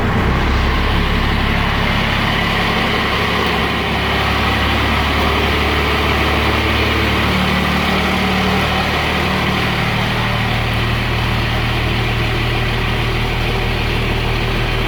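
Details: Cummins-swapped squarebody Chevy, first start after installing dual plastic fuel tanks and priming the lines: steady, deep diesel idle with an even beat of about four per second and no stumbling; running fine.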